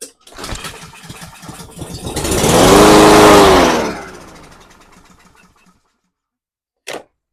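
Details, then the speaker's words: Cub Cadet SC500 HW mower, 159cc engine, sat for a year, primed with non-ethanol fuel past the auto choke: catches on the pull, revs about two seconds, then fades and dies, suggesting a blocked fuel system. "So, there it goes again. Starts for a second. Um, runs for two seconds just like it would if it was just uh fuel put in there, but then shuts off. So, that means it's probably we're probably getting a blocked fuel system somewhere."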